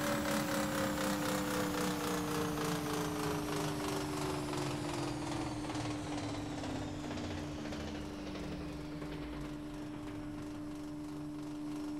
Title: noisy A/C